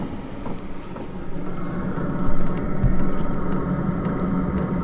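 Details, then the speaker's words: Van's under-floor diesel heater with new longer exhaust and extended air intake, switched off after running to idle: steady fan rush over low even rumble, no pops or stumbles: normal cool-down. "So, that is working a treat. Let that run for"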